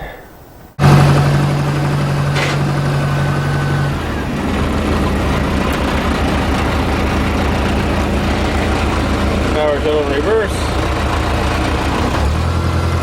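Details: Case 580CK backhoe after engine swap: first fire-up, starts quickly and settles to a steady, even diesel idle with smooth low beat, no knocks or misses; engine healthy.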